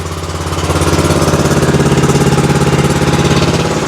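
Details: Exmark zero-turn mower, Kawasaki V-twin, hard starting and low power: lumpy, uneven idle with a loping beat about three per second, running on only one cylinder due to a bad spark plug; choke also sticking.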